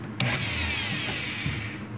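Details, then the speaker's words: Brushed electric planer motor powered by a prototype DC-to-AC 60Hz inverter (target 12V DC to 127V AC) switched on: a high, steady, fast whir between sharp clicks; runs smoothly at very high speed. "tá aí ó vejam bem está ligado agora acionando a máquina fez ouviram aí o ruído"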